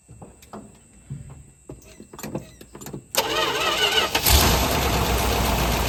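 Several quiet clicks and handling, then the engine catches and settles into a steady even idle; it starts and runs normally.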